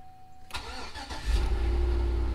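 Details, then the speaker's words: Chevy Tahoe after replacing and timing the ignition switch to fix a no-start: brief crank, then fires promptly and settles into an even, deep idle; normal start with the new switch. "it does so all of our wire connections are good and the car likes the voltage for everything and it likes the new ignition switch so that's very good"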